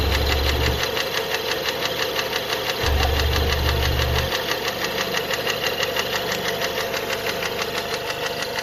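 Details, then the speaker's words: Renault Megane 2 1.6 automatic after an oil leak, warm idle: a steady knock about three times a second over the engine, persistent, with the source not located; the knock was also heard at cold start. "Вот так стучит на горячую."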